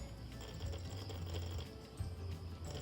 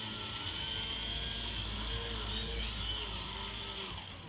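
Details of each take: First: RC 3D airplane brushless motor under throttle, before repair: low hum cutting in and out in uneven bursts instead of spinning up. Cause is a broken motor wire; continuing to run it risks burning the speed controller (ESC). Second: RC 3D airplane brushless motor after the broken red motor wire was rejoined, under throttle test: steady even high-pitched whine at constant speed with one brief dip. The motor now runs normally.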